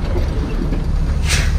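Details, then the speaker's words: 1969 Chevrolet C60 dump truck with BBC 427 tall deck engine and FAST EZefi: the engine idles low and steady, then a short sharp air brake release hiss, normal. "but hey it's got air brakes the appropriate cool noises so I am popular with all the 10 year olds"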